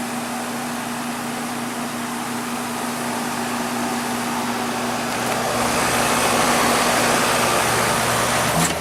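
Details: Goodman outdoor heat pump unit in heat mode on a 53°F day, thermostat set to 70: steady compressor hum with constant mid tone and even fan rush, no knocks or rattles; heating normally.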